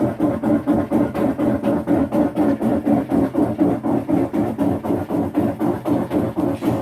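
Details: Maytag MVWC565FW0 top-load washer, about three years old, on spin cycle: loud rhythmic thumping whoosh about four times a second; splutch already replaced but noise remained, owner suspects a bad transmission (gear case W11035751/W11454734).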